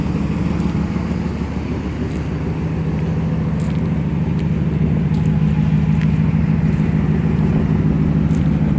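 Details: 2008 GMC Sierra 1500 Denali, L92 Gen IV Vortec 6.2L V8, cold start idle: rapid puffing tick about three per second over deep rumble; exhaust leak just before secondary catalytic converter, resonator deleted, axle-dumped exhaust, otherwise stock.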